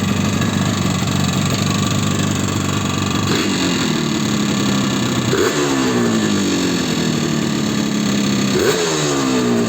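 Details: Yamaha RD350 two-stroke as bought, before rebuild, revving in sharp blips and dropping to idle: hard, loose metallic rattle underneath from a worn piston slapping its bore; piston slap.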